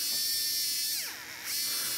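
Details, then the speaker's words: Arbour Models kit locomotive, oiled Buehler motor under test via kit's stiff drive tubing: clean steady high whine that sags briefly under load and recovers; running pretty smooth. "to start off it seems like it's running pretty smooth"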